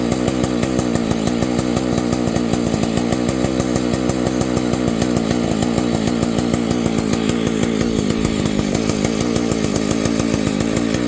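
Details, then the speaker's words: Vintage Husqvarna 285 chainsaw, rebuilt with replacement cases and cylinder: starts easily, rapid even two-stroke idle with steady popping beat, then stalls after idling and repeats after a few minutes' rest; owner suspects ignition problem, not confirmed. "There's my dilemma. It'll start easy, it pumps, it'll idle, and then it just stalls."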